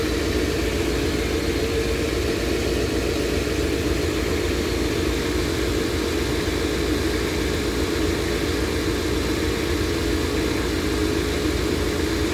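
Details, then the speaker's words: Engine idling right after first start following head gasket replacement, new oil filter fitted and coolant bled; steady, even, quieter idle with a smooth low hum and no knocking, though an exhaust leak is noted on one side; normal idle. "far it sounds quieter and i don't hear any knocking sounds"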